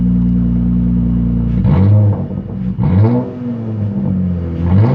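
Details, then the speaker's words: 2016 Dodge Challenger 3.6L diagnosed with a faulty fuel pump causing a crank, no start: the engine catches and revs up and down cleanly with a steady rumble between blips, no misses or knocks; running normally. "so that's pretty much the fix guys need a fuel pump i'll go ahead and rev the engine"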